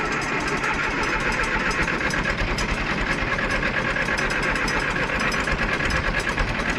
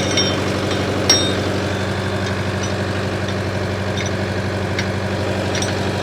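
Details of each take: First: 1968 John Deere 500A diesel tractor (industrial 3020), parked over 10 years on old fuel: lumpy clatter, speed won't settle, no power, then dies on its own; rough unstable running, diesel dripping from injectors, owner suspects brittle rubber injector boots. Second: 1968 John Deere 500A diesel tractor (industrial 3020), revived after 10+ years parked, put under improvised load: steady, even diesel throb with a smooth, low drone, no knocks or misses. Normal, healthy running under load.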